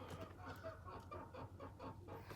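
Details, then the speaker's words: Rebuilt Chrysler 300, front sway bar links (replacements lasted only 2,000 then 4,000 miles) worn again: short chirpy squeaks and rattle as the car is rocked. "And they're rattling again, and I can probably make it. You can hear them squeak a little bit."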